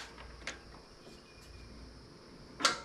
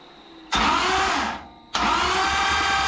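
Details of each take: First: 440 engine on a run stand, poor engine ground: two sharp single starter clicks about two seconds apart with no cranking; the starter tries to engage but lacks the power to spin the engine; bad battery cables also suspected. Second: Engine on run stand after starter and wiring/ground fixes, only assembly lube in it, no oil yet: two bursts of steady, even starter cranking with no grinding, engine turns over freely, starter healthy.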